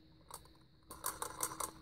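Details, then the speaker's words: Vintage Vulcan Autosonic Mk. 30-A (VA-M-30FT) windup heat detector bell whose reset piece won't stay pushed in: quiet click, then clockwork ticks on its own about five light ticks a second, self-triggering after reset. "so you still going so this one's got a bit of an issue but don't worry I won't be using these for life-saving purposes"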